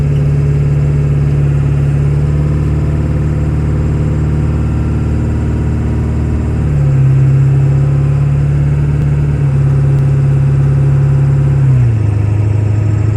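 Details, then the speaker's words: 1997 Ford F-250 OBS 4x4, 7.3 Powerstroke diesel, about 125,000 miles, automatic four-speed, driving uphill: deep steady diesel drone climbing smoothly through all gears with clean shifts, no knocks or whine; healthy engine and transmission under load. "so we can hear the 7-3 run as well as put the automatic four-speed transmission through all the gears so you can hear for yourself how there's no issues with anything on this truck at all"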